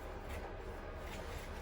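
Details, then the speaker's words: On-One 456 carbon bike, front disc brake: a soft scraping hiss with a faint catch coming round with each wheel turn, because the slightly bent rotor was catching in one place against the pads. It was fixed by bending it over with a truing tool. "just before i've moved on to the back one of just true that rotor so it was just catching in the one place so we've uh the this truing tool just bent it slightly over"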